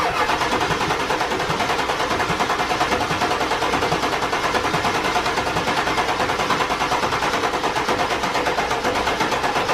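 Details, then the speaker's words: 7.3 Power Stroke diesel truck after installing stage 3 205/30 injectors, following a hydrolock, some air possibly still in rails: even steady clatter at smooth idle, no misses or knocks; running nice and smooth. "so the truck is finally running we got the new injectors in it's running nice and smooth"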